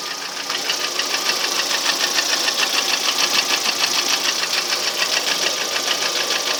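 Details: Lada Priora engine one year later, only oil changed: steady sharp knock about three per second over idle, keeping time with the engine; unexplained engine knock, source unknown.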